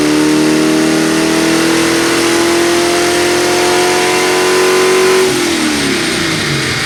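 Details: 1979 AMC Spirit AMX 304 V8, Brawler carb, warm dyno run after throttle-cable casing fix: pulls steadily under load then revs drop away; lean tip-in hesitation, needs more accelerator pump shot.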